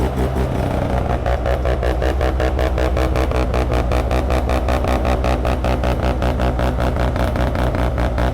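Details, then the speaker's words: Mazda rotary (FB), first start-up after troubleshooting and fitting a new CAS: choppy, loud idle with even pulses about two to three a second and no clatter. Running well. "it sounds so good ramos hey man you did a great job"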